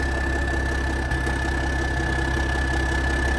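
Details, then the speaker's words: 1987 cabover truck diesel idling cold after a restart, years out of service: smooth, even low drone with no knocks or misses. Running pretty smooth even with a fuel leak; normal idle. "And for it to be cold, you know, usually these things are really bad about smoking and running like crap. This thing's running pretty smooth."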